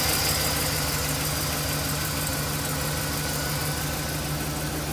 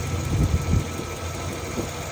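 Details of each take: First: 2009 Chevy 2500HD 6.0L V8 plow truck idling after a new driver-side exhaust manifold, gasket and broken bolt repair for an exhaust leak: smooth, steady low rumble with no ticking or exhaust puffing. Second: 2009 Chevy 2500HD 6.0L V8 plow truck idling rough with faint uneven ticking from a driver's side exhaust manifold leak; broken manifold bolt in head, throwing check engine codes; fix is new gasket and bolt extraction.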